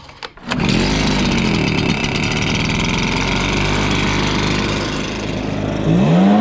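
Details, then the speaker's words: Stihl BR430 blower bogging with no power, after carburetor cleaning and filter refit; two-stroke catches and revs but surges and wavers at top speed, lean fuel starvation, high-side adjustment screw limited by limiter cap. "and something's going on with the adjustment screw on the high side if you can tell man when I was manipulating that when I lowered it down it was kind of starving and then when I increased it up it was better but it wasn't enough"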